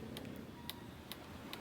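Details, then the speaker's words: KDK old-model stand fan, noisy and slow, cutting out; fan motor hum with sharp regular ticks about twice a second from a loose, badly worn motor bushing, to be replaced along with capacitor if weak. "yan lakas ng tunog aan na yung ano nito busing malaki ng pudpod nito [Musika] Kaya maingay na"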